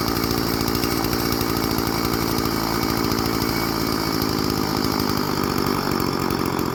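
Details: Old Stihl FS 36 string trimmer, sat 2+ years, after new clear primer bulb and carburetor tune-up: steady, even two-stroke buzz with no hunting or surging; runs good, normal idle and running.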